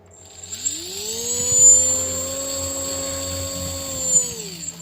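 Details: Drone motor on an MJX ESC with 2S battery during throttle calibration: clean whine climbs smoothly, holds a steady pitch, then winds down evenly; motor and speed controller working properly.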